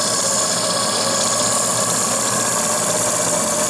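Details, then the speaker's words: Small RC steam engine (FBI 2), restored boiler, superheater replaced by straight pipe, boiler near idle: fast, even hiss and chatter, no knocks or stalls; turns smoothly this direction despite a weeping gland. "Mais en tout cas dans ce sens-là il tourne."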